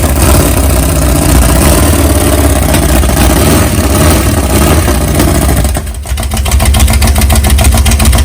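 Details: Big-cam 454 Chevy big block on an engine stand, early start with no tuning, for a rat rod: deep loud uneven lope that sags and recovers; lumpy idle; camera mic may make it sound like rod knock.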